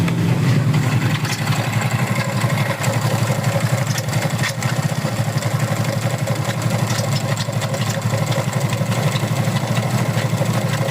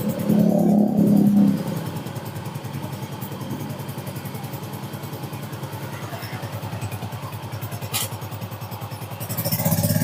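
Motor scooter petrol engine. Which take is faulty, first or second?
first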